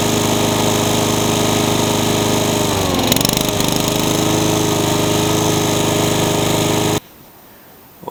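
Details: Honda pressure-washer engine on a lawn mower runs loud and uneven with a ragged, lumpy beat around three or four a second. Black smoke suggests flooding and it sounds rich. Two carburetors and the coil have been swapped; the cause is undetermined.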